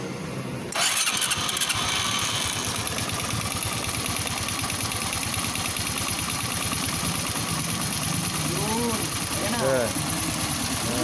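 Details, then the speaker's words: Motorstar Well 125 (Honda Dash-type engine) after fitting an original Honda Dash oil pump gear in the crankcase: starts first try, steady even idle, oil now reaching the head and the clanging gone; normal idle after repair. "Ayan okay na siya naglabas na siya ng langis dito sa taas at yung ingay na kalembang wala na rin dahil nga dito sa gear na to"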